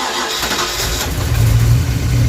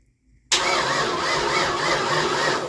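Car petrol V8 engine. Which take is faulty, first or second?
second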